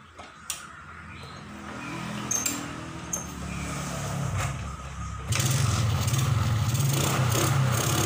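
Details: 2003 Suzuki Smash 110 after fitting an original regulator/rectifier (kiprok): uneven idle, then louder stumbling, hiccuping run; still misfiring, test pen glows dim; cause not yet found.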